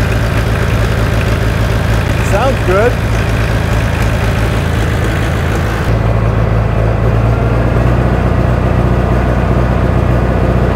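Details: 1960 John Deere 1010 diesel tractor, first run since budget engine rebuild, started with starting fluid: steady even idle with deep low thrum, no knocks or misses; running smoothly.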